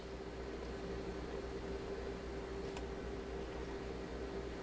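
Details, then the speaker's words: G.E. Model 250 vintage radio powered from a bench supply: a faint, steady vibrator buzz over bench hiss, but the B+ needle barely moves. No short exists on the B+ bus, and the vibrator runs with low output. "i can hear the vibrator buzzing but the needle is barely moving and we know there's no short circuits because we just checked the b plus bus"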